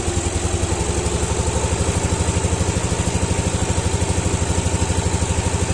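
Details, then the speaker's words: Yamaha Aerox at idle after the failed cam chain tensioner was replaced with a homemade manual tensioner: an even, steady thump about three beats a second with no chain rattle or ticking, back to normal compared with the noisy ride earlier. "motor saya udah kembali normal ya suaranya gak berisik seperti di awal video"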